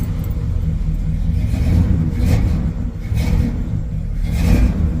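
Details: 1973 Mercury Marquis V8 idle: deep, uneven stumbling beat, running on seven cylinders through a bad spark plug wire that came off; new plug wires ordered.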